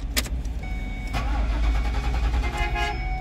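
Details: 2009 Ford Econoline with metal key: starter cranks steadily but the engine never catches; crank no start from a security/immobilizer ID mismatch between cluster and engine computer.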